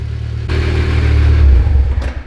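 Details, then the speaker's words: Mitsubishi Evo VIII after engine rebuild, idler noise just developed: gritty whirring rattle over the engine as it revs and settles; noisy idler pulley. "that's a noisy idler pulley if i ever heard a noisy idler pulley"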